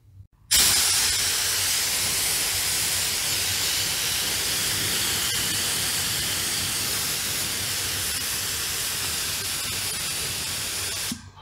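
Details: Kraftdekker KD-50L 50-liter compressor: steady sharp hiss holding at one level throughout, air escaping at the quick coupler fitting; air leak at quick connector still needing attention.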